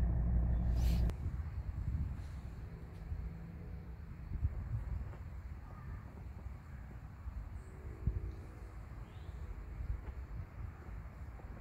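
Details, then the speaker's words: Mercedes 300SD W126 diesel after aftermarket auxiliary fan replacement: quiet even idle near 800 rpm with A/C off, fan just shut off at about 85 temperature, no knocks or misses; healthy idle. "it's a little higher it looks like it's probably running around 800 rpm but it's pretty solid"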